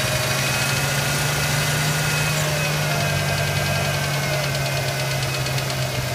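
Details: Ford Ranger idling with a fast, light ticking of roughly three to four ticks a second riding on a steady idle; a top-end tick whose cause is unknown.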